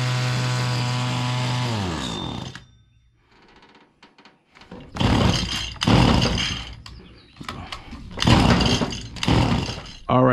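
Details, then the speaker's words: Stihl FS85 two-stroke hedge trimmer, freshly fueled and primed: screaming full-throttle note sags and dies within a couple seconds. "as you can tell we got it fired up but you see the it was running Full Throttle then it would come down and it would cut off"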